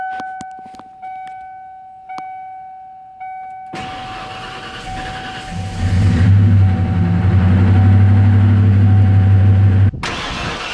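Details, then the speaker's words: 1993 Ford F-150 V8 with Flowmasters, first start after sitting about 15-18 years: warning chime, starter catches, engine roars up to fast rumble; lifter tick as lifters collapsed during storage pump back up. "It's running. Those lifters and stuff is collapsed where it's set, so we need to let them build up."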